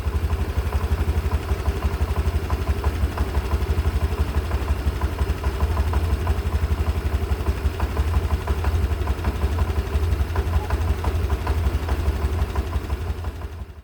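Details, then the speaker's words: Honda Beat Deluxe 2022 scooter before its first CVT service after 2 years, at idle: fast clattering rattle about three beats a second over the engine; owner feared connecting rod, but cause was broken slider pieces and a worn roller housing. "Jadi ada suara yang klotokokokok itu ternyata memang benar dikarenakan slider pie-nya jebol ya guys sehingga kalian bisa lihat nih rumah rollernya tadi di awal gua lihatin ke kalian itu kegerus dan kemakan"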